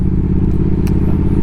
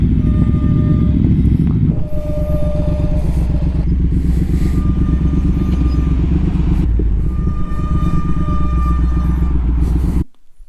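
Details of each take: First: Triumph Speed Twin 1200 with Brembo brakes, after a cheap anti-squeal fix, stopping at a stop while cold: engine idles with a low steady rumble and the brakes make no squeal. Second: Triumph Speed Twin 1200 motorcycle with Brembo brakes: engine rumble with a thin, steady high squeal in short bursts when braking at low speed, stopping at stops and lights. Recorded before anti-squeal paste was applied to the pads. Brake squeal.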